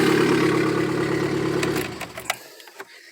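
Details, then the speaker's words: 1997 VW Gol AT 1.0 8-valve at idle until shutdown: quick sharp tick keeping pace with firing, thought to be lifter noise but caused by an exhaust manifold cracked all the way through; manifold to be replaced. "Ó, coletor rachado, meu amigo. Trincado de fora a fora."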